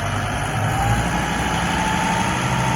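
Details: 2008 John Deere 5325 4x4 diesel tractor, about 1,300 hours, in near-new condition; even low diesel rumble with faint steady whine on top, no knocks or misses, normal idle.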